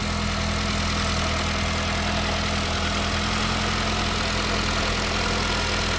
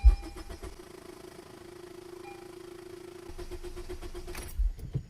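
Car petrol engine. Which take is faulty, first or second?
second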